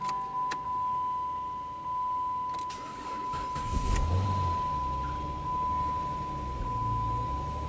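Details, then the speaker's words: 2006–2014 Dodge Charger after replacing the driver's-side fuel pump that caused a no-start: faint steady high hum for several seconds at key-on, even and unbroken; normal fuel pump prime. "Okay, so I decided to set up the camera and let the fuel pump prime just so you can listen to it."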